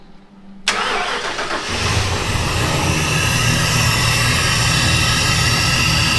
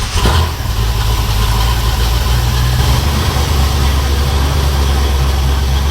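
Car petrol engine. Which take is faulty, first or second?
second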